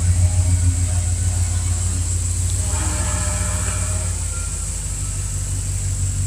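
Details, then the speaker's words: 2001 Jeep Grand Cherokee Limited V8, about 237,000 miles, nearly 20 years old, just after start-up: deep steady rumble with smooth even beat, quieting slightly as idle settles; no smoke or rattle, healthy. "Doesn't smoke. The motor doesn't rattle or anything. Sounds like a Dodge."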